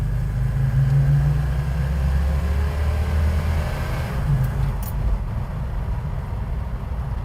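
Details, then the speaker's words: Plymouth Road Runner V8 after budget power upgrades, floored on the road: the deep rumble sags and stumbles. Engine bog on wide-open throttle, caused by carburetor secondaries opening too early, likely from a too-light vacuum spring; the spring is to be changed. "it didn't have that bog yesterday. >> Well, we need to fix it. >> No, we probably went overboard with the light spring."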